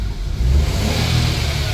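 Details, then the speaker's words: Nissan Micra after engine swap with throttle body issue, coolant being bled: small petrol engine revs up smoothly and holds, responsive to throttle, showing throttle body opening and closing; normal revving, though warning and ABS lights return. "So we can hear the wee car revving up, so I know the throttle body"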